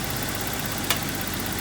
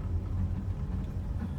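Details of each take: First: BMW E30 idling after new distributor, plug wires and spark plugs replaced for earlier misfire and stalling: steady even idle with a smooth low hum, no stumbles or misses, no longer bogging down. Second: BMW E30 after new distributor, spark plugs and wires, on a test drive: deep rumbling idle with an irregular uneven pulse, still running rough; it needed a jump start, owner suspects battery, alternator or loose connection.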